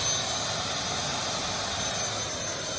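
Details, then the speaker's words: Small model turbine engine on a Starwood Lama that had trouble starting: after lighting it holds a steady, high, hissing jet whine at one pitch while settling at idle; it reached idle but not yet full power. "now let's see if it'll go to full switch at least it got the idle"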